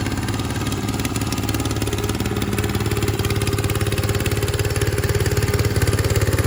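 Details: 1968 Bolens Husky 775 Husky Pup lawn tractor, restored and swapped to a Hatz 1B30 V single-cylinder diesel, mowing with the deck: steady, even thumping beat holding rhythm, pulling cleanly under load, normal healthy running.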